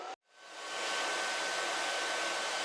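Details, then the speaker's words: Air Venturi Nomad 2 portable PCP compressor (4500 psi, auto shutoff) on a 110V wall plug: a short click, then the cooling fan ramps up to full speed and holds there when the power button is switched on, before the compressor starts; normal fan run. "step two you're going to turn your power button on and you're you'll hear your fan ramp up and start running at full speed"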